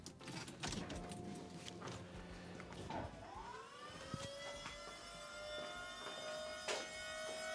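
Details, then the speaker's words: 1986 Pontiac Trans Am LT swap, Volvo electric power steering pump after adding the control board, previously in slow default mode: whine climbs in pitch then holds a steady higher tone; pump running much faster, steering still slightly slow. "oh yeah it sounds like it's running way faster but what does it feel like is the question"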